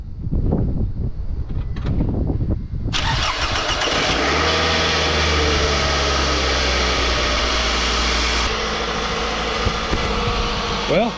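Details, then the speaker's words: 2005 Scion tC 2.4 Toyota no-start: relay and battery tested good; sharp hammer taps on starter, brief crank, engine catches to steady idle; dead spot inside starter motor, starter to be replaced. "the fact that I had to hit it with a hammer told me that there's like a dead spot inside that starter motor"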